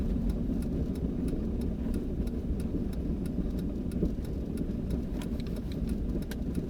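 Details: 2000 Jeep Grand Cherokee Limited (WJ) on the road gives repeated sharp front-end clunks about every half second; it starts after 30+ miles of driving and goes away for about 5 miles after sitting 5-10 minutes; cause unknown.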